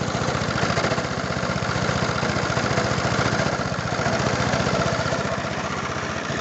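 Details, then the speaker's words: Briggs & Stratton 375 Sprint mower engine with a suspected blown head gasket idles with a sharp, fast tick-and-puff on each firing stroke from underneath, smelling of fuel; exhaust-gas leak suspected. "On entend quand même un claquement, une fuite d'air qui vient de là en dessous, vous voyez."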